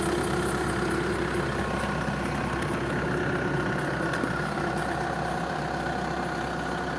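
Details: 1.6 TDI diesel engine idling with a steady, thin squealing tone riding over the rattly idle.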